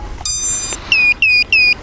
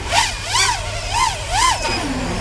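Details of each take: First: Arris X220 Pro race quad on power-up: one long high tone then three short falling chirps right after battery is connected, the normal startup tune. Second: ARRIS X220 Pro FPV race drone flying in 2–3 mph wind: short high constant beeps cut through the rising and falling motor whine; low battery voltage alarm, time to land.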